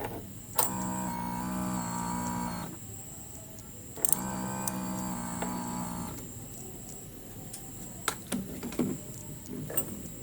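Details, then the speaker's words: Honda Beat FI scooter that will not start, with electrics previously totally dead, key on before cranking: two steady electric hums of about two seconds each, then quiet; the fuel pump is priming normally. "pumnya nyala subp kita coba starter"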